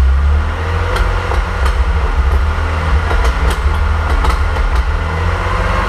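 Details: 1927 Avions Voisin C11 with a 2.3-litre six-cylinder sleeve-valve engine and thermosyphon cooling, on its first start after a rebuild with newly made sleeves, not run for about 60 years: a low, steady rumble with even pulses and light clatter. Normal running.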